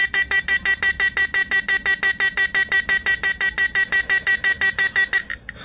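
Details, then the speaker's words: Repaired PDC 4-FET mini stun inverter, under load on two small doubled batteries (10 Ah and 7 Ah), MOSFETs cool, economical draw: sharp even buzzing pulses about three a second, then cut off; normal running under load. "ini masih tergolong irit ini Padahal saya pakai aki kecil ya guys yang 10 AMP sama yang 7 ampere"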